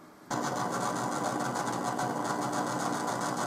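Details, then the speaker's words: Homemade amplifier mixing the computer's on-board and USB audio, rewired to run off the computer's PSU and grounded only through power ground: abrupt steady buzz with a hissy whine on top persists, so not a ground loop; source not found. "so as you can see it it's getting its ground from the power ground there so no other grounds are connected i'm still getting this noise though so yeah it's not a ground loop"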